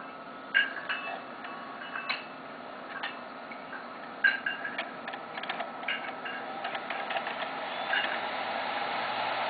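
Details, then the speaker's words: Xbox 360 with a disc inserted: a few sharp clicks as it loads, then a steady whir that grows louder as the optical disc drive spins up, louder than the fans; normal disc drive spin-up. "it's not even the fans that are making that it's the disc hard drive it's not the fans so don't complain that the fans make too much noise cuz it's not the fans that are making the noise"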